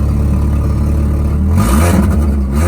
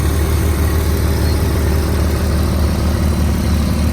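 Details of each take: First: Five-speed manual car at 173,755, no check engine light: four-cylinder idles with a raspy puffing exhaust note that swells with revs, from an exhaust leak at the flex pipe, not yet repaired. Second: 2004 Volkswagen Touareg V6 idling: smooth, even low hum with steady pulse and no knocks, ticks or rattles; engine still very clean and quiet, normal idle.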